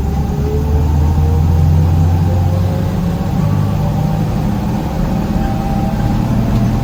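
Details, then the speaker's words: 1972 Toyota Land Cruiser FJ40, largely original, on a cruising drive: steady drone with a thin, even whine that holds with road speed from the three-speed gearbox. "So we're going to go ahead and drive it, and you can hear that 3-speed of whining."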